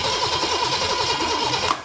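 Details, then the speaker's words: Big block Chevy 454 that sat about 20 years, start attempt on open exhaust: steady rhythmic starter cranking without firing, then cut off; it had just run out of fuel, with good oil pressure and no rod knock. "yep just out of fuel Big Blocks uh they don't run long"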